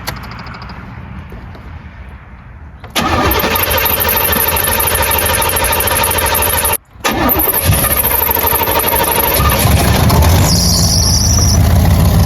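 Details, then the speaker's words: 1984 Corvette C4 V8 with a Holley 1460 carburetor, cold, choke on, while setting ignition timing at zero: runs with an uneven, choppy beat about three per second; running rough. "You guys can't really see down there, but sounds like it's running like crap."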